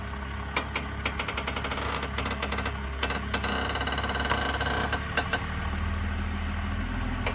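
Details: 2003 BMW Z4 3.0i (E85) at idle: irregular sharp clicks and creaks come and go as the steering wheel turns. The weird sound is intermittent, only sometimes.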